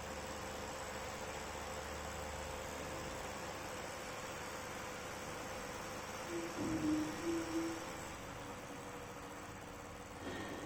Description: GPU fan of this acer nitro 7 is making metal rubbing sound and it is not running smooth like CPU fan.